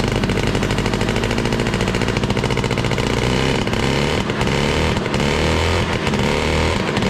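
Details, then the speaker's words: 1968 Ski-Doo Super Alpine with Rotax 370 two-stroke, open pipe with muffler off, after fitting cheap fuel line in place of the expensive line: loud crackle that revs up and settles cleanly with no stumbling. Normal revving after the fuel line fix. "Next time that I contemplate spending, $75 for 25 feet of gas line, I'm going to think again, because sure enough, just putting the cheap stuff back on fixed all my issues."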